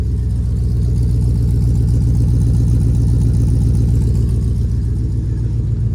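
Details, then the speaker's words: Stock LQ9 V8 from a 2002 Escalade, no catalytic converters, MagnaFlow dual exhaust, first run after fixing a no-start: deep loud even burble at steady idle, no misses or knocks, whistle from a vacuum leak at the fuel pressure regulator hose. "let's see and there it goes she's pretty loud I mean no catalytic inverters and that magniflow two in two"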